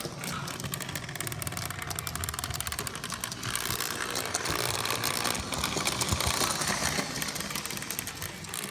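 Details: Abnormal mechanical noise from a Lionel 8204 locomotive: busy rattling buzz with uneven ticking about four times a second over the motor; something in the drive is suspected, cause not confirmed.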